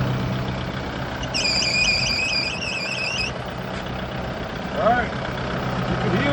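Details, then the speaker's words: Kubota broom tractor diesel idling during a pre-trip inspection: a high, warbling belt or pulley squeal sings for about two seconds then drops out; the pulley that keeps stopping marks the bad one. "now that it's going, it's got a belt or a pulley squealing. So, you can put that on clue."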